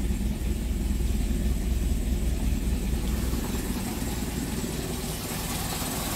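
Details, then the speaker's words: Hyundai Getz lacking power, misfiring and noisy: uneven idle with rough irregular knock about two to three per second; crankshaft center bolt not tightened, so crank timing sprocket/pulley loosened with large play. Compression passed at 120–130. "Tapos issue ng makina ah pag umandar na malagatok. Knocking knocking yung mga ginagawa nga ng nangyari kasi dito hindi nahigpitan yung pinakacenter bolt ng crank shop kaya lumuwag yung ano natin pulley."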